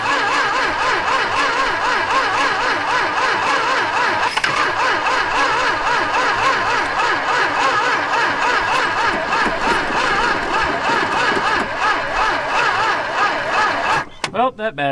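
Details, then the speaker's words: Dodge stepside truck saved from the crusher after sitting disassembled on the ground: uneven cranking sputter catches and runs ragged, then dies. It only fires on fuel poured into the carburetor. Engine kind of runs; transmission pumps fluid. "is dead, too. But we established it kind of runs."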